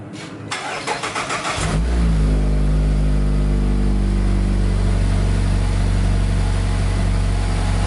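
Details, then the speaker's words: 2019+ 4th-gen Mazda 3 non-turbo after aFe Takeda Momentum cold air intake install (Pro DRY S filter): cold start, brief crank, catches and flares, settles to smooth even idle with no knocks or misses, no check engine light; normal. "All right, everything is installed. I'm gonna go ahead and start it up."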